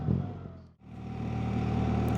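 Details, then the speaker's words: 2025 BMW R 1300 RT riding: thin steady whine over the engine's low tractor-like drone under way; rider attributes it to the valve/cam chain and guides. "You can hear that whine. That's the valve chain, the guides. It's the chain is that whining noise. That is annoying."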